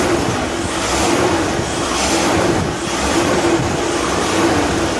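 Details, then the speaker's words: Boyertown step van with propane carburetor after exhaust leak repair at header pipe: steady, even idle with soft rise and fall, no puffing or ticking at the header; smooth as can be. "Wow. Just as smooth as she can be, brothers."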